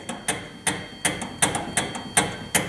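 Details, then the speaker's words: 2011 Hyundai Sonata, turning the steering wheel: sharp, evenly spaced clicks about three per second, no engine behind them, from a broken buffer part inside the steering column. "do you have this problem in your steering wheel as you rotate the steering wheel you can hear it click"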